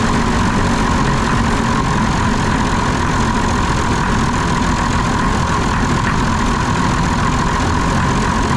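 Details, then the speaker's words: Concrete pump diesel engine with air in the fuel system, running while injector lines are bled and throttle screw adjusted: loud, heavy drone at steady speed with a coarse, uneven churn; rough running from air in the fuel. "all right so if I adjust the otle screw man it sounds horrible"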